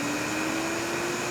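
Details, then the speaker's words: K-9 pet dryer, front motor running and winding down: steady high motor whine climbing in pitch with fizzy crackle underneath, audible electrical sparking and noisy bearings; motor brush arcing, front motor possibly bad. "I don't know if you can hear it, but we could hear some electrical sparking. And if my sinuses worked better, I probably could smell some electrical burn right now."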